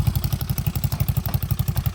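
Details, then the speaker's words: Motorcycle single-cylinder engine, 192cc 2-valve, planned for 213cc 4-valve upgrade: deep, blatty, loud idle thump about ten times a second, no mechanical clatter; engine quiet, the exhaust pipe is noisy. "Ay, kaya maingay. Tahimik naman yung makina. Start natin. Yun, maingay yung pipe."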